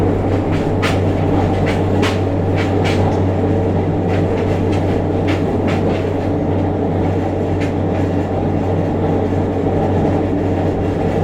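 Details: JR Kyushu 303 series K01 set, car 4 MoHa 303-1, recorded above the Hakata-end bogie on a rapid train between Shimoyamato and Hatae: heavy low droning traction motor growl with strong vibration rising with motor rotation, plus rail joint clicks.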